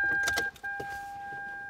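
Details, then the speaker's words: 600,000-mile Lexus LS430 steering wheel tilt/telescopic motor running with key on: steady electric motor hum with clicks, not smooth when moving up and down; worn steering column motor, a common failure on these models. "I hope you can hear that it's like it's not smooth that's not an issue you can lubricate the the shaft of the motor rotates in"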